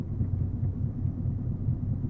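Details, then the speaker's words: 2016 Fiat 500 1.3 MultiJet, 67,000 km, heard from inside at the front while driving: low steady rumble with faint rhythmic throb under road noise; suspected broken ball or roller in a front wheel bearing, not confirmed, inaudible from outside. "Meg van törve egy golyó. Aha. Vagy görgő. Aha. Görgősek ezekben, azt hiszem. Kintről nem lehet hallani, de innen előről egyértelmű."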